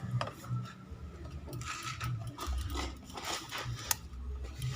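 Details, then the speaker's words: Faint irregular small clicks, about five in five seconds, engine off, on a Honda Vario 125 LED with an ACG starter that won't crank: first taken for the pin-5 relay, it is the brake switch clicking. "Saya pikir suara relay kaki 5, ternyata bukan. Ini suara dari switch rem."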